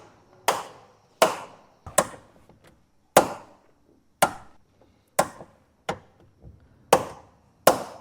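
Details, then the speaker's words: VW Gol door making a noise when opened: sharp knocks repeat as the door swings, from a loose door check (limiter) bolt, fixed by tightening it with a T40 Torx key. "Fala galera tudo belezinha com vocês hoje eu vou mostrar um problema que tá acontecendo aqui no gol tá que é um barulho na porta quando você abre a porta ele tem um barulho"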